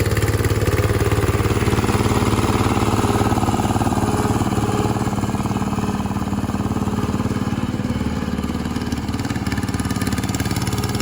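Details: 1968 Bolens Husky 775 Husky Pup lawn tractor, restored and swapped to a Hatz 1B30 V single-cylinder diesel, mowing: steady rapid beat staying regular as the deck takes load, no misfire or labouring, normal running.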